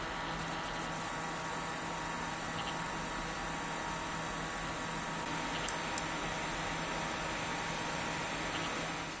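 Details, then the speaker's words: AMD R9 270 reference graphics card in a PC under load: steady fan hiss with thin high-pitched coil whine clearly audible over the fans, confirmed as GPU after removing hard drives. "It's some really weird high-pitched noise. It's like, when I first put it in, I'm like, what is that?"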